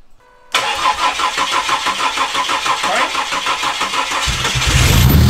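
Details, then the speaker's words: Ford EF Falcon with swapped Barra turbo engine on first start attempt after months off the road: starter spins engine at steady, uneven chug for several seconds but it never catches; cranks without starting, possibly no fuel. "hmm it should at least sputtle nothing hmm"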